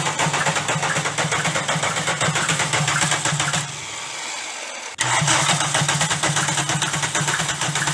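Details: Golf diesel: heavy rhythmic knock under the idle clatter, briefly cut at restart then returning unchanged; damaged connecting rod bearing shells.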